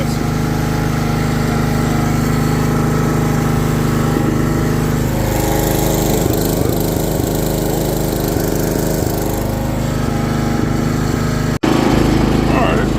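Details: Old John Deere GX75 riding mower, revived after sitting 8+ years, while riding: steady, even single-cylinder drone holding speed, no misses or knocks. Normal running.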